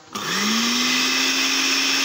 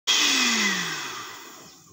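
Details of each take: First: Blender that only ran briefly before cutting out, after repair of its faulty module, on its slowest setting: spins up to a steady even hum, winds down and restarts cleanly; normal running. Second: Blender motor spins up for a moment then stops, the tone sinking and fading within two seconds as it coasts to a stop; a faulty control module is cutting power.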